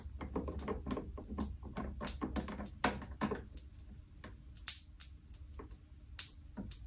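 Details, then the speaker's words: Loose wire connection in a light switch arcing when the lamp is on: irregular sharp crackles, snaps and sizzle over a faint hum; the bad connection could also be at the junction box or lamp, and it can heat up and cause a fire. "Mar sin an seo ma chuireas mi an uèir agam air ais a-steach agus gu bheil droch cheangal agam tha e gu bhith sizzle."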